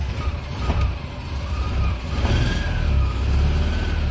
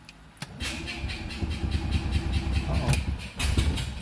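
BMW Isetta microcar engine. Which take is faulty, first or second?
second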